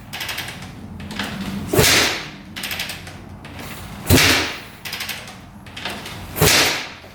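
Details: 2004 Suzuki RM-Z250 after rebuild with new crank, bearings and top end: three hard kicks about two seconds apart, sharp whoosh and thud, never catches; kick-start cranking, no start, same problem as before teardown, cause unknown.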